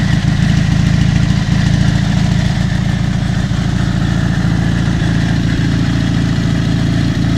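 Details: Dnepr MT-11 solo boxer twin on trial start after ignition (BSZ commutators and coil) repair and full rewiring, carburetors not yet adjusted: deep, even boxer thump at steady idle with no misses or stumbles; firing cleanly, running smoothly.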